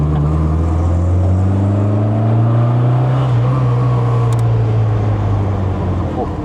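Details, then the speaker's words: MG Midget classic car driving at about 30 mph with two occupants after winter hibernation: a deep, smooth exhaust drone that shifts gently with road speed, with no misses or knocks. Healthy running engine. "It is running beautiful that Yeah, it's running nice."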